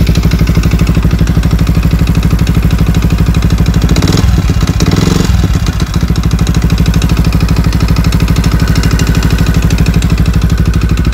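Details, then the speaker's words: Yamaha WR 125 idling with hard regular knock about three per second on every firing stroke; crankshaft runs on bearings, not shells, owner suspects worn-out crank bearings, unconfirmed. "ani regulacja zaworów ani wymiana oleju nic niestety nie pomogło tu na wale nie ma panewek tylko są niestety łożyska i prawdopodobnie są już wywalone"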